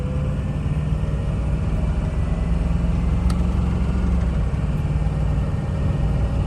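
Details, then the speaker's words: Ford 6.0 diesel truck after cleaning the exhaust back pressure tube (previously no boost, no power, chugging): strong, even rumble pulling cleanly under throttle with no stumble or hesitation, boost now building; engine healthy and responsive. "Big difference, big difference. Truck is peppy, truck wants to run instead of hesitating."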